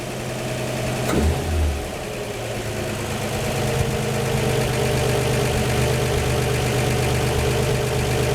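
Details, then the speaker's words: 1949 Chevy 3100 six with dual Carter Weber 32/32 progressive carbs at its 3000-mile service, cold start: smooth steady idle creeping faster as the electric chokes open, valves not rattling; normal fast idle on choke. "time you hear them electric chokes they're opening more and more which is kicking that idol"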